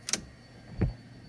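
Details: 1986 GT with a dimmer switch fault: two crisp turn-signal relay clicks about 0.7 seconds apart in a quiet cabin. An even flasher rhythm; the blinkers work normally.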